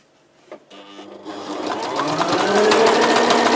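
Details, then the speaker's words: Sewing machine on wide zigzag speeding up into a sharp, regular knocking, three or four beats a second, as thread catches on a notch cut into the needle plate; no sound with the plate removed. "видите что делает долго я смотрел значит как найти такую неисправность сложновато значит что я делаю беру так вот тарахтит цепляет что-то цепляет не понятно"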